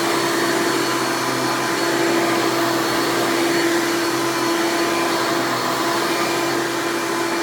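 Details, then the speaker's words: 1996 Hoover Legacy (Elite Supreme) Dirt Finder U5103-930 upright vacuum, direct-air fan motor, running: loud, steady high-pitched scream with even tone throughout, no surging or rattles; healthy old upright. "And now I'll go ahead and run this thing and demo it for you, and you can hear it in all of its loud, screaming old Hoover glory."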